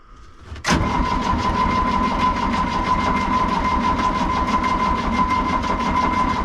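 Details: Excavator that sat a couple of months, fuel system bled of air after losing prime: steady starter whir with even cranking pulses that never catch, no smoke. Owner suspects the engine stop motor seized partially closed, holding the injection pump fuel shut off.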